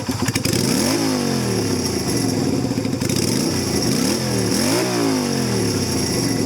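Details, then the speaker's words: 2000 Yamaha Virago XV250 bobber, cold day, carb top back to stock slide and spring, with a changed air cleaner and exhaust and rejetted: clean, crisp revs and even firing with no misses or popping; idles and runs perfectly. "So we should be okay. We should be back to normal now. The whole top of the carb is back to stock, so I'll see how it runs. Sits and idles perfectly."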